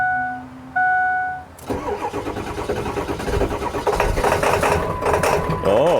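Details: Ford F350 diesel with crank-no-start after cleaning fuel tank: dash chimes, glow plug wait, brief crank, catches and settles into steady even diesel clatter; starts cleanly after the fix.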